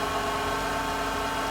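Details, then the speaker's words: Mitsubishi Shogun/Pajero Pinin iO, unmoved for about three years (slipping clutch), started with a booster pack. It holds a steady, even idle hum with no misfire or stumble, running really nicely. Normal idle. "Okay, so it's running well. In fact, there's no misfire, nothing. It's running really, really nicely."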